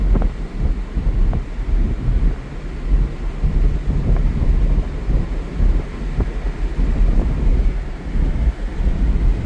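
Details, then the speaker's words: Toyota Tundra V8 with stock exhaust, accelerating onto the highway with windows down: deep, even low rumble building as it pulls, heavy wind buffeting, no knocks or misses; normal healthy engine. "I love driving this truck with the windows down. I don't have an aftermarket exhaust, but this thing sounds good regardless."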